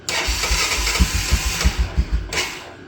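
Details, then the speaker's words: Honda Fortrax 300 ATV that previously wouldn't start, after stopping a leak, started: catches after a few uneven firing pulses, then settles into a steady run; starts cleanly. "I'll give it a start. I think it'll run better because the fact that it was running before was pretty impressive."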